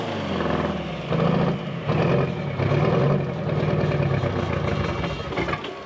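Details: 1979 GMC Astro cabover, 8V92 2-stroke Detroit diesel, just started after 7 years sitting once the fuel system was full: it catches and settles into a rough, uneven rumble with surging revs, running on its own.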